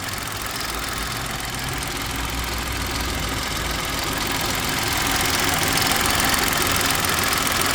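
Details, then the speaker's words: Old car, bonnet open: engine running with a light metallic rattle swelling as revs climb; it got much worse on the drive in; owner first suspected the chain, now fears a bearing breaking up; unconfirmed. "it's definitely you see i thought it was something to do with the chain i haven't really investigated yet i haven't had the bloody time but man this morning it was again is a proper bearing i thought baron had broken up"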